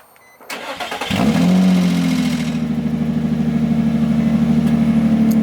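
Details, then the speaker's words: Nissan 350Z, started without revving: quick crank, clean catch, steady even idle without misses; sounds good but not aggressive. "sounds pretty good yeah honestly it does it sounds pretty [ __ ] good i can't lie"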